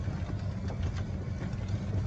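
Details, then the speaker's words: Club Car DS golf cart test ride after replacing the front leaf spring bushings: low, even drone with no squeak or squeal and no wheel rubbing; no suspension squeal. "look at that no noise it's not rubbing the wheel so that is exciting"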